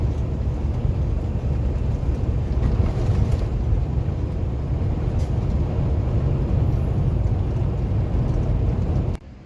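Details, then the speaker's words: 2016 Peterbilt 579 diesel under way after replacing a holed small rubber hose and two clamps that caused a loud turbo-like noise and black smoke: steady even low rumble, no whoosh or hiss; sounds as it should. "so we got that changed out it's down the way it's supposed to sound"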